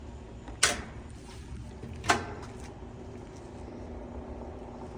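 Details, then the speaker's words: Whirlpool-made washer laid on its back running a drain and spin cycle: steady motor hum broken by two sharp clunks as it agitates but fails to shift into spin; shift actuator stuck half-moved, to be replaced. "It's trying to agitate. Sounds like the shift actuator is stuck. Not fully going into spin for the washer to do its job."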